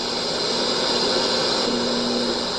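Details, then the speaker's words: FM radio inside a building, scanning 88–108 MHz and finding only two stations. Steady hiss with a faint buzzing hum and no station coming through: static from RF interference emitted by the overhead lights throughout the building. "hear all the static there in the background. That's actually due to these lights up above here, as well as the ones throughout the building."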